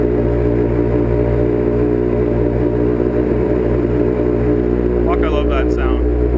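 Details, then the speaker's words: Street bike after starter rebuild (owner's starter had failed when hot), started with a little choke in winter: even, steady exhaust beat with a smooth low drone and no knocks or rattles; normal running. "Give it a little bit of choke. See what happens, and you can hear my exhaust. Well, there you go. The beauty is ready to ride."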